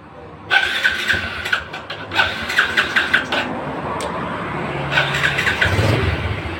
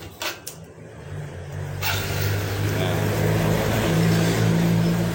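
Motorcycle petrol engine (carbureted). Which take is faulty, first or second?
first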